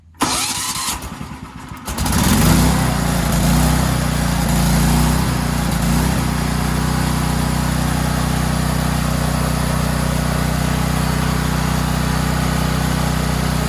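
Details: Cheap Valsi generator during a final test run, started with choke and push-button start (engine stator charges its battery at about 2 A): brief cranking, then a steady, even drone with no misses or knocks, a healthy idle.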